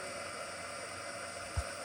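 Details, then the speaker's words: Bergonzi (Italy) TM 50 radial arm drill spindle at maximum speed 1520 rpm: only a low even hiss, no knocking, whine or grinding, no major noise; normal, quiet spindle running at high speed. "Working a spindle at its maximum speed, that is 1520 rotations per minute. As you can hear, there is no major noise. Even at its high RPM also, it is completely silent."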